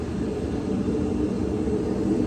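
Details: Older Whirlpool Cabrio washer WTW6200VW0, floating drum with stator drive: heavy, steady low roar during spin, growing louder, from shot tub bearings; bearings, shaft and tub seal replaced.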